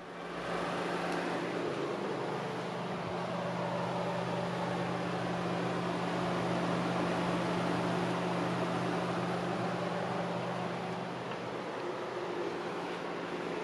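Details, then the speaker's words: Audi TT Mk1 1.8T radiator fans running a steady, smooth low whir with the ignition off during the fuse #16 pull test, showing the low-speed fan resistors work, while diagnosing overheating fans. "Okay, so that's a good sign that the low speed resistors are working."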